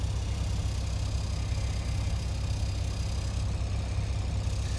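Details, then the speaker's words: 2009 Mack CX613 MP8 truck, Carrier APU, starting: settles into a steady low diesel thrum with an even beat throughout and no knocks; APU running normally. "oh yeah I hear coming on so sounds like it's working I hear it running and starting that's always a bonus"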